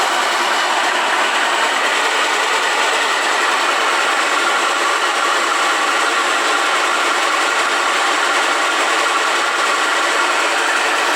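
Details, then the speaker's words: Honda 160 motorcycle engine, in neutral and stationary, runs with a strong, steady hiss rising and falling with revs; the noise comes from the cylinder head, not rocker knock, and the clutch bearing is doubted as the cause. "eu sei se deu para ouvir aí o barulho certinho como está fazendo tá com chiado bem forte aí"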